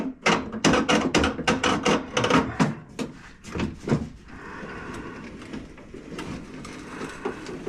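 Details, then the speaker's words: Car window track after cleaning old caked grease and regreasing: gritty, uneven crunching and clicking while glass travels, then quieter, rolling much better than before; window regulator track crunching. "you can hear crunching in there guys so it's rolling a lot better than what it was guys it wasn't rolling this good before"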